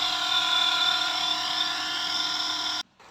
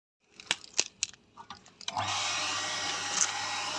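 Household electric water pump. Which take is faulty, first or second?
first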